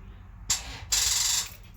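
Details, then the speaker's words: Toyota FJ Cruiser with the battery at 11.2 volts: key turned gives sharp metallic clicking in two short bursts with no cranking, a dead battery. "all right so that's a sign of a dead battery"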